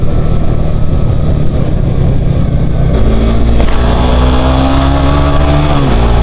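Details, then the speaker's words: Suzuki GSX-R150 after new piston set and cam chain, running Shell V-Power Nitro, revved to high rpm: clean, even pull with a faint thin whine like a new cam chain and no pinging, unlike the earlier knocking. "Lebih kedengaran suara nging gitu kayak mesin eh mesin kayak kerate yang masih baru. Suara rantai-kata yang masih baru gitu kan nging agak-agak nging gitu kedengaran lur sebelumnya itu suaranya kelitik-kelitik kasih kelik."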